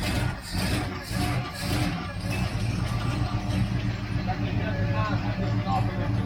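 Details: 1966 El Camino barn find, idling after 12 years not run: steady low idle with an even beat, no knocks or misses; running fine after long sleep.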